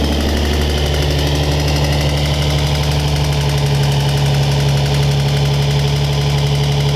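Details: Lowered Nissan 350Z at idle with a damaged, scraped Y-pipe: loud deep idle with raspy uneven puffing pulse; exhaust leak at the Y-pipe.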